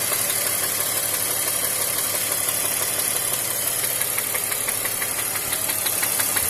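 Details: BMW X5 E53 with M54 six-cylinder running with a sharp, fairly even metallic knock about three per second, like a worn connecting rod bearing; rod knock.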